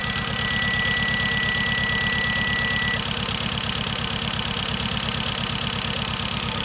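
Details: 2013 Hyundai Genesis Coupe 2.0T idling with a cylinder 4 misfire: lopes with a steady, uneven thump about three times a second, a dead-cylinder stumble from no compression; dealer suspects a hole in the piston.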